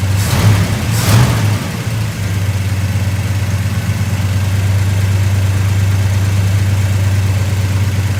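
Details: Truck with 390 V8, old emissions vacuum-secondary Holley replaced by 750 Holley 4160 to cure seven-year part-throttle hesitation; deep steady burble after a couple of blips, even idle, no misses or knocks.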